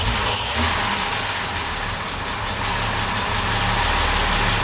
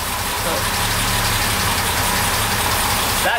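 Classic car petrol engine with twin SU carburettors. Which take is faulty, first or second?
first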